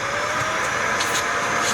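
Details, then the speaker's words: Dyson DC41 vacuum from a curb find: steady airy roar with faint whistle, airflow restricted by a clogged hose; other damage suspected. "Well, sounds like it might be a little clogged."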